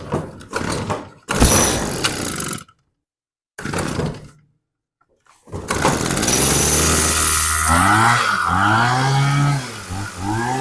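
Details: Dolmar two-stroke hedge trimmer after replacing leaking fuel lines: catches after a few pulls, then settles into a steady high buzz with brief revs; runs cleanly, no leaks.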